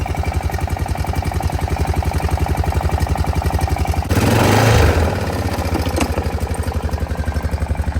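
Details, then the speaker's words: Honda Foreman 500 single-cylinder at idle after valve adjustment and valve cover replacement: steady idle with faint light tick each firing, about four per second, less than before; owner suspects some piston slap. "Moment of truth. Doesn't tick as bad as it did last time."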